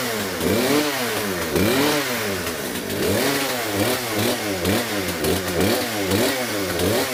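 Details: Poulan P3314 chainsaw just after swapping in a China-made replacement carburetor for the original one: revs up and drops back cleanly over and over, with crisp pickup and steady running between blips; healthy, may need slight fine-tuning.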